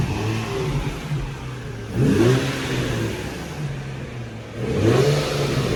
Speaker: i don't hear it i don't hear it yeah the rattling gone fix it